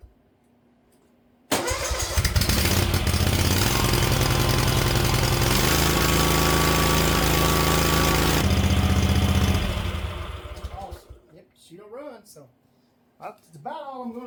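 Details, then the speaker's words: Used Hustler mower after a new seat, throttle and choke cables, air filter, spark plugs and an oil and filter change: catches quickly and runs a steady, even single-cylinder beat for about eight seconds before shutoff; a normal start. "so I guess I need to probably fire it up now and see since I've done all this if it runs it may not even run now"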